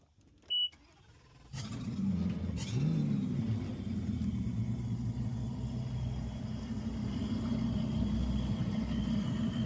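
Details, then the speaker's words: Twin Mercury V10 Verado 400 outboards on Avalon 2785 Excalibur after water fuel separator filter change, fuel primed: engines catch and settle into smooth, steady, healthy idle with no misses, knocks or hunting. "All right. I got the boat on. We're just going to fire it up and let it idle."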